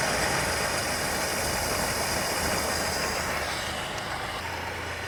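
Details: 1962 Chrysler Newport 361 V8 with TorqueFlite A727, first start after 17 years parked, fed from a gravity tank: steady, even idle with a soft burble and no smoke. Normal idle.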